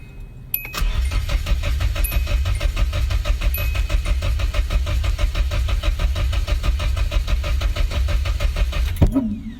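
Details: KA24E swapped into a Mk1 S12 200SX, cranked after two swapped spark plug wires were corrected and the fuel pump primed. Steady, even compression pulses for about nine seconds with no firing; ignition timing off, and a worn rotor is suspected.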